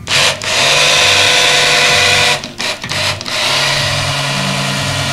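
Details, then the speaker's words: T37 engine build on test stand, 6 quarts of Joe Gibbs 10W-40 break-in oil, new filter, mechanical gauge: steady drill whine priming the oil pump with two brief stops; lifters priming. "oh you can hear the LIF is Prim oh yeah oh yeah that's working yeah getting in there squirting look at that it's definitely working"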